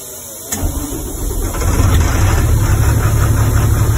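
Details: International snow plow truck with International engine, previously hard-starting, after reinstalling the intake air heater relay: diesel fires quickly after a short crank and settles into a deep steady even idle; starts normally.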